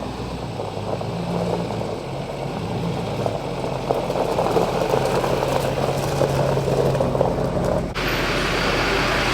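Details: Tuned diesel truck with stock transmission at idle: even clatter with a smooth knock rhythm and no rattles or hiss; no leaks found, sounds healthy.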